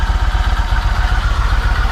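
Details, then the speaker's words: Yamaha MT-01 V-twin during an oil change, started after 2.5 litres of Penrite fully synthetic 20W-50 to circulate the oil: a deep, loping, steady idle with even pulses and no tapping or rattle, so it sounds healthy. "So yeah, here we go. Let the oil run through the engine."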